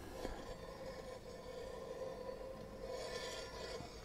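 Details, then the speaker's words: Kawasaki Z900 front brake, wheel turned by hand: quiet continuous scrape with thin ringing tone; something rubbing the free-floating disc, owner suspects ABS sensor or bearing, unconfirmed; horrible noise first heard while riding. "so that scraping noise is where metal rubs or something rubs against the disc because they ring because they're free-floating these pads"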